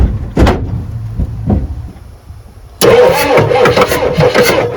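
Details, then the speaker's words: 1986 Ford F350 with 6.9 IDI diesel, started on ether: sluggish uneven cranking, then it catches and roars rough; slow cranking, likely weak battery, fuel delivery uncertain. "Another little dose. Cranking a little slow. It wants to live."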